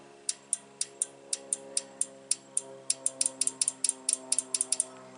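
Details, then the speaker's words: Relay in a 2017 GMC Denali X50A underhood fuse block, bench-tested with 14 V on the coil: crisp, sharp clicks about four a second, clean with no chatter or buzz; relay switching properly. "pin for one you can hear the nice solid click we got."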